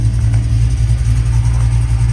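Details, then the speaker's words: Truck on jack stands with a newly installed Tremec TKX replacing a failed T5, in first gear with the wheels spinning: smooth, steady low drone with no grinding or whine from the gearbox. "Try out first gear. Yep, and I can feel it. Tires should be spinning as they are."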